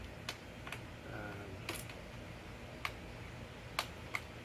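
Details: Torque wrench on a Motobecane 29er mountain bike during assembly, handlebar stem set around five newton-metres with 4 mm bit: several sharp light clicks at irregular intervals as the wrench releases at set torque.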